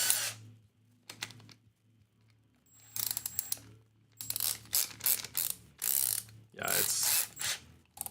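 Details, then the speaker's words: Drill used to drive a small buffing wheel for waxing a guitar fretboard: ragged bursty ratcheting crunch in uneven spurts between pauses; owner thinks the drill's gears just went, slipping and grinding. "I don't know if you can hear that grinding but um that's the gears of my drill I think it just just went on"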